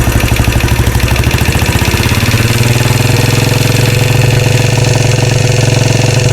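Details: 2013 Royal Enfield Classic 500 single, rebuilt after a stray M5x35 bolt was found; decompressor noise is gone, but it idles with a rattle rising and falling about three times a second; oil level okay; tappets and rockers to be checked.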